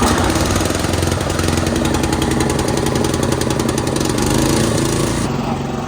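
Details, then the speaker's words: Old concrete mixer's small single-cylinder engine, sat 20 years, starting on its own after fresh oil with a little throttle: quick, fairly even putter with no misses, far less sputtery than before; running smoothly. "So apparently she likes to have a little throttle to get her started, but now that we got some fresh oil in her, she sounds like she's running great. A lot less sputtery than it was earlier. She sounds super smooth."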